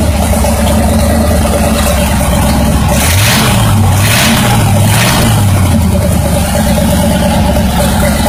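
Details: Buick 350 revving up and dropping back, with a dull rod knock following engine speed; removing the spark from that cylinder reduced the load on its piston and lessened the knock.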